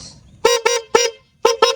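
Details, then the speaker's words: Honda CB150X bought March 2022, about 3 years and over 63,000 km: five sharp, loud, clear honks in two pairs and a single, steady strong tone; horn still works fine. "Nah itu dia klaksonnya."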